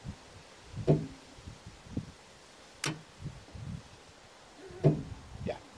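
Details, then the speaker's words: Nissan Leaf 24kWh battery in DIY home solar storage build, BMS communicating via LilyGo emulator, mic placed on the battery: a few sharp isolated clicks a second or two apart as main relay powers; normal engagement. "So let's turn on the power to the main relay inside of this battery. Hopefully you can hear it."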